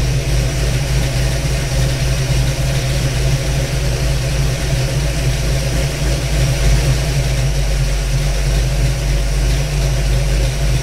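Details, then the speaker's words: 1992 Ford Mustang LX 5.0 302 Fox Body with Comp Cams XE266HR cam, dyno tuned, just started, idle air control valve then unplugged: lumpy choppy cammed V8 idle settling and holding without stalling; stable idle. "you can hear it's starting to settle itself out now"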